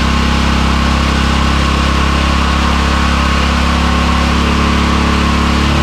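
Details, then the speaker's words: Small edger engine, after backing out the fuel mixture screw, idling low via the drive control switch. Low, steady putter with an even beat, no hunting or surging. Normal low idle. "Now, that fuel mixture screw seem to be the problem cuz now I can have it idling nice and low via our drive control switch."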